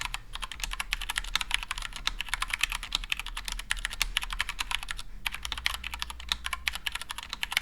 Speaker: so as you can hear there are some pinging sounds and some scratching sounds but they're mostly coming from the unlooped gutter on browns